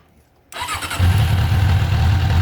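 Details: 1997 Suzuki GSX600F Katana after refresh/rebuild with carbs, exhaust and headers reinstalled and no leaks: silence, short crank, then a steady, even low idle with no misses or knocks before a test ride.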